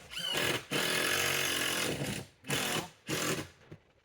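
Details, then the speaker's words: Saw cutting log into boards, blade dull: harsh rasping bursts of a second or two, blade labouring and struggling, wood tearing out; dull blade needing sharpening. "It's starting to tear out, which means it's getting pretty dull, and I can hear it struggling."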